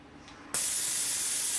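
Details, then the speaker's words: Plasma cutter with screwdriver bridging the torch switch plug prongs to bypass the switch; quiet, then sudden steady rush of air holding evenly; machine air works. "so if you've got air coming out of the machine and it's just not triggering on the switch"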